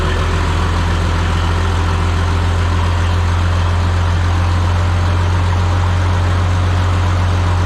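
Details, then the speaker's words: Minneapolis-Moline G950 propane tractor idling after doubled exhaust manifold gaskets with high-temp RTV and a new-old-stock muffler; deep steady even idle, no valvetrain tick as heard the night before: much quieter, sounds a lot better. "nice all right let's go down and listen to this not fall down much quieter sounds a lot better"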